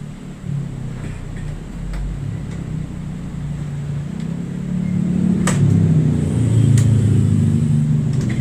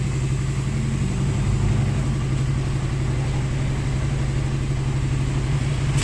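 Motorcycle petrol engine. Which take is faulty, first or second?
first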